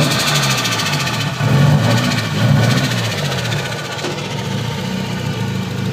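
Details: SR20DET with HDEV stage 3a, Nismo 555 injectors, Z32 AFM and AVCR boost controller that also won't rev past 2.5–3k rpm: the idle wanders and stumbles with an uneven pulse. Irregular idle, cause unknown.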